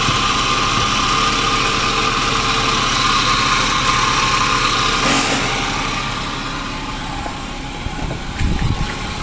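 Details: 2009 Daihatsu Grand Max at idle: engine noisy with a steady high-pitched hum not following the engine beat; V-belt removed to locate the source, traced to a worn idler/tensioner pulley bearing.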